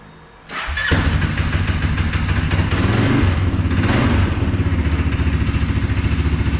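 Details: CFMOTO 520S quad after quick drive belt/CVT repair for being stuck in drive: fires right up and settles into a steady, even putter with a brief blip; runs smoothly.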